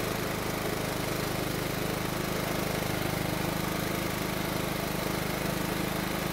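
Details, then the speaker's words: John Deere riding mower engine after carburetor work; previously ran only mostly choked and died out of choke. Now starts on choke, stays running in run position and idles smoothly with an even beat, no surging or stumbling: problem fixed. "so it started in the choke position and stayed running in the run position and it even idled for us that means we fixed the problem"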